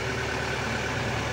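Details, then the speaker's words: Mitsubishi Canter Euro 4 common-rail diesel: steady, smooth clatter at a raised even idle with no pedal input, rpm raised by turning the variable resistor idle-up control, as used for bleeding or PTO; no knocks or misses. "nah ini pun ketika diputer dikit Itu rpm nya sungainya banyak ya seperti ini"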